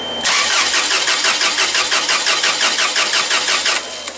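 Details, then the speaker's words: Toyota 7FGU25 forklift with a no-start complaint, cranking: steady even cranking at about three beats a second with no catch; compression seems fine, spark and fuel still to be checked; cranks but won't start. "so at this point I wouldn't suspect any uh compression problem because of the way that the engine is cranking"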